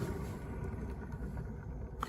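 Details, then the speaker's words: Renault Zoe EV traction motor, 71,000, reduction gear removed and shaft spun by hand: dull, uneven rumble and rough churning instead of free spin; worn motor bearing, with aluminium corrosion found. "yeah sounds sounds pretty bad so that's obviously what's making the noise"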